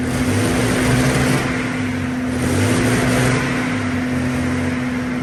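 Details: Centurion AVRE V12 on its first start after being taken apart to trace a power-loss issue, which was a simple fix. Deep steady drone with a constant hum, no misses or knocks; normal running.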